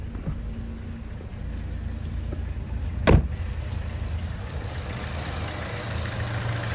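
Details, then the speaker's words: Chevy Cruze/Buick Encore 1.4L with codes P0106/P0131/P0171/P1101 and check engine light: warm engine idles very rough, choppy whoop-whoop pulsing, vibration, needle fluctuating, getting worse; failed PCV valve in valve cover. "It doesn't sound normal. It's whoop, whoop, whoop, whoop, whoop, whoop, whoop. Very rough idle."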